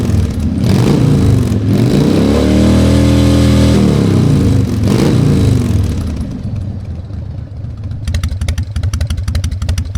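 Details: Harley-Davidson Fat Boy Evo 1340 V-twin, started after winter storage with a cleaned carburetor and jumper cables: a couple of deep rev swells settle into a lumpy, uneven potato-potato idle; running healthy.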